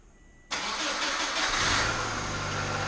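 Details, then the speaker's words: Subaru 2.5TS non-turbo wagon after a swap to a junkyard replacement engine: cranks briefly, starts and settles into a steady even idle while bleeding the cooling system; quieter than the old motor, no knocking or leaks. "well I think it sounds a lot quieter than the old motor don't seem it to be happy it's not pissing fluids everywhere it's not knocking"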